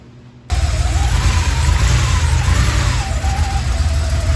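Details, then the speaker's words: 1986 Porsche 911 Targa, running after more than a decade in storage, with new fuel pump and battery but old spark plugs. Deep, uneven rumble with a lumpy beat that wanders with revs. Running rough but smoothing out; new plugs are planned. "Yeah, she ain't running bad though. 86 Targa, a little rough, but I mean, it still needs some TLC."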